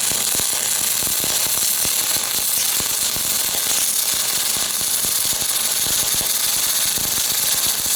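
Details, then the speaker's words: Aluminum MIG welding with a PrimeWeld spool gun on a cold tacked part, heat set slightly above chart: harsh crackling arc with uneven sputtering pops, wire almost burning back into the tip; spatter from wire feed speed too low. "it you hear that spattering pretty bad I needed I should have turned the wire up just a little bit too it was almost burning back into the tip so I'll do that now"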